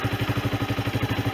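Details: Sinnis Bomber 125 (Suzuki GN125-copy engine) after service with a new air filter, oil and filter, and a new exhaust from an AJS Cadwell plus gasket, no longer blowing: even single-cylinder thump of about eight beats a second. Normal idle.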